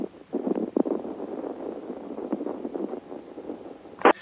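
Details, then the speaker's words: Old Radio Shack HTX-202 2-meter handheld ham radio on transmit, worse on high power: irregular crackles and pops over the signal, sharp burst near the end; owner suspects dirty grounds. "sometimes it's a lot worse but that sound that's my problem it's worse on high power on low power it doesn't happen that often but when it does happen it annoys the people i'm talking to"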